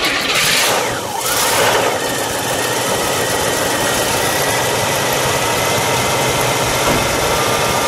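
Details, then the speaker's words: 1975 Buick LeSabre Custom Convertible V8, original owner, first year of high energy ignition, outdoors at a car show: quick crank, catches promptly and settles into a smooth even idle, no misses or ticking; healthy and reliable. "well let's let's do what we do let's fire it up look at the row let it idle and then just a hood walk"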